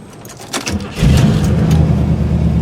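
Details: Buick (project car) hot restart after sitting about two months: brief crank, catches within about half a second and settles into a smooth, steady idle; normal hot start.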